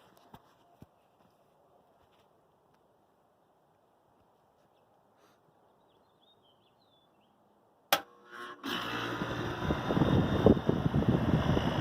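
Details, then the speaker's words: ComfortMaker central air conditioner condenser at least 21 years old, possibly from 1983, never repaired, starting up: quiet, a click, then compressor kicks on and fan settles into steady rushing hum; normal startup and running. "So you can see it's still working all these years, and I am actually probably going to replace it now, just for something more"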